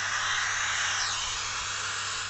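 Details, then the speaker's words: Repaired amplifier (was dead with no sound, used for mosque call to prayer) in radio mode into a small speaker: clean, even radio static hiss with no rasp or dropouts. It was previously quiet and hoarse; now the output is normal. "suara desahannya tuh udah memang bener-bener radio, nggak seperti awal ya. Kalau awal itu kecil suaranya dan serak ya teman-teman, serak. Dan ini sudah normal sekali ya, desah radionya tuh normal."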